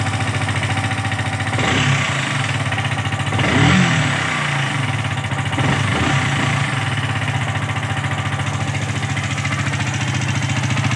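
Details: Yamaha R15 V3 BS4 single at idle: light, fast, steady tick over the engine note with each turn; valvetrain knock from the rocker arm hitting the camshaft, parts need replacing.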